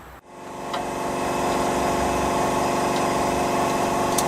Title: Alternator repair : Noisy Bearings replacement